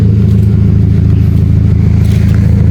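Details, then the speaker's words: Kia Picanto after repairing ECU with shorted injector no. 2 driver IC that held the injector open, causing rough running and white fuel-smelling smoke: steady even idle, no stumble, no smoke, check-engine light cleared; normal idle. "ini suara juga sudah normal baunya sudah khas injeksi knalpot juga tidak berasap lagi."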